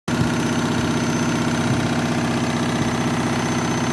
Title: Washing Machine noisy spin cycle